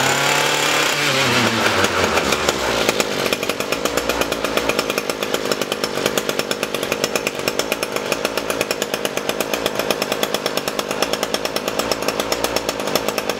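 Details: Echo SRM-225 string trimmer after carb cleaning, diaphragm and air filter replacement and hidden jet adjustment: two-stroke revs up then settles to a steady, even high buzz, no surging or bogging; normal running.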